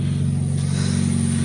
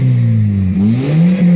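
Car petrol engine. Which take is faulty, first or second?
first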